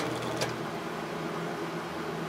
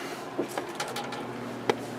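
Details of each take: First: Early-80s Sears box fan with plastic Marco motor that was fully seized, now running after the motor was oiled with a Zoom Spout: a quiet, even hum and soft air rush with no scraping or rattle, so it spins freely. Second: Early-80s Sears box fan with plastic Marco motor, on low speed with thermostat at coldest, drawing current but only giving a steady electrical hum and a few clicks, no blade whoosh; the motor is seized and was marked non-working in 1991.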